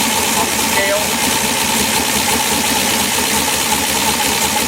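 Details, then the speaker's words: LS7 V8 in Chevrolet S10 with new idle air log, both banks synchronized: steady, even idle with no misses, stumbles or hunting, previous whistle gone and idle air control now controlling idle; normal idle. "alright as you can hear the whistle noise is gone the idle air control is controlling the idle now"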